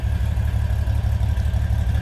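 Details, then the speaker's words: 1949 GMC 5-window pickup, inline 6-cylinder 3.7 L, four-speed manual: low even putter with steady pulses, no knocks or misses; smooth healthy idle. "nice and smooth air runs"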